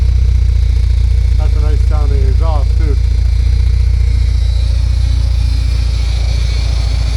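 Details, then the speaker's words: 1979 Porsche 924 warm idle, heard underneath: steady, even low burble with no ticking anymore; healthy exhaust. "Oh, sounds good underneath here though. There's no ticking anymore."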